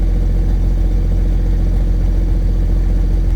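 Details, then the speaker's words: Case STX375 articulated tractor diesel idling with a deep, steady, even rumble and no misses or knocks. It is running again after a no-fuel fault with a broken-tab fuel actuator; there is no throttle yet, the engine fault code is inactive, and the lift pump is still miswired. "well she's running don't have any throttle it looks like my engine fault's gone away so our code is inactive over here to our engine"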